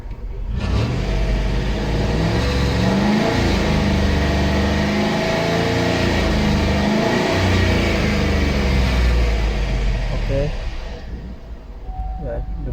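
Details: Chevy Tahoe with P0301 cylinder 1 misfire code: engine pulls up smoothly from idle, holds even rev, settles back with steady beat and no stumbling; normal idle and rev.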